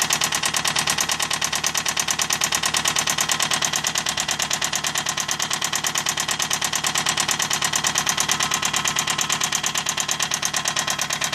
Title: Update 8 toyota camry rod knock